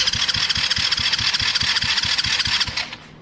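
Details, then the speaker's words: Tao Tao quad, carbs back on, exhaust refitted, battery hooked up, fuel on: steady starter cranking at about two and a half pulses a second, tried without brake cleaner, engine never catches; cranks but won't fire. "trying to get it to start without using any brake cleaner or anything come on old girl"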